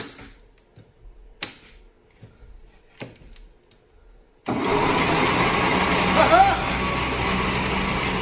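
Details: 1941 Plymouth barn find, motor not cranked in about 50 years, first crank attempt with battery; several quiet clicks then steady churning of starter spinning the engine over with no firing; cranks but does not start.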